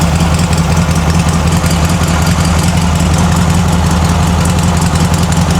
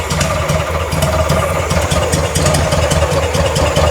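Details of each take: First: Circa-1960 VW flat-four in a Ford Model T kit car after its bad carburetor was replaced and the fuel temporarily adjusted. It gives a cold idle on choke while warming up: a steady, even low rumble with no knocks or misses, running normally. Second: Circa-1960s VW-based Ford Model T kit car after carburetor replacement, warming up, idle fuel screw fully in: lumpy, loping uneven idle with irregular chuffing; super rich, doesn't like throttle input.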